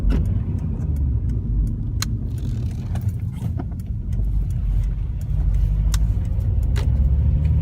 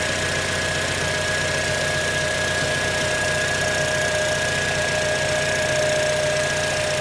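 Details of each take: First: 2006 Acura TSX at idle before repair, car shaking: rough, uneven, lumpy low beat from a dead cylinder. Engine misfire, suspected ignition coil or spark plug. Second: 2006 Acura TSX at idle after replacing the failed ignition coil (spark plug found good), check emission light still on: steady, smooth idle, even pulse, no stumble or shake. Normal idle, misfire fixed.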